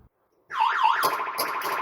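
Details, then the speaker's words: Williams World Cup pinball machine after electrical repairs and sound volume pot adjustment (owner believes the wrong pot was fitted): loud, clear warbling electronic tones at full volume without dropouts. Sound works properly, no longer silent. "it is set and it is fully working at a nice loud volume and no longer that weird silent hello"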